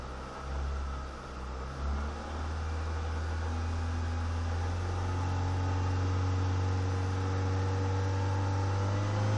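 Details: Renault Megane 2 engine revving with a steady rhythmic knock that follows engine speed; owner unsure whether piston pins, main or rod bearings, or camshafts are the cause.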